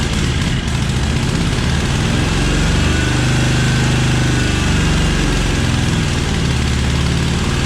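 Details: Cub Cadet 1864 lawn tractor (possibly 1994), 671 hours. Rough uneven low-speed chugging surges and sags, held running only on full choke with throttle down, failing at full throttle. A clogged carburetor is suspected.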